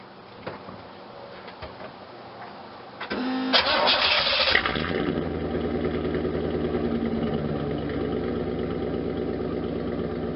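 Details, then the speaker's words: 1992 Camaro Z28 with a stock L98 350 V8 and the rusted stock muffler removed, headers not yet installed: it cranks and catches in about three seconds, then settles into a loud, raw, unmuffled idle burble. "well after much struggle we got the muffler off inside is horrible I mean it's rust all over and on the inside but let's do a video and see how it sounds without any muffler"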